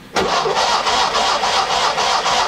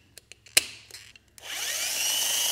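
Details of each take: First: Classic Fiat with separate starter switch, ignition switched off: the starter spins the engine at an even pace, about four compression beats a second, never catching because there is no ignition; cranks but no start. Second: Starter motor removed and bench-run, its solenoid triggered straight from the battery: a steady high-pitched electric whir spins up, holds about two seconds, then winds down, a healthy free-spinning starter.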